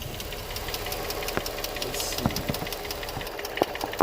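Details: Infiniti G35 V6, 109k miles, no check engine light, new cats: sharp light ticks over steady idle, a couple per second, slightly uneven, from one bank; owner unsure if lifters or spark plugs, source unknown.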